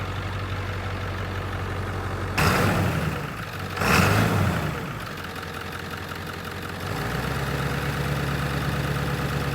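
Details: 1997 Ford F350 7.3 diesel, hopefully clearing water from the fuel system: steady, even low idle clatter after brief handling noise, no miss; cleaning up, though front tank still holds water.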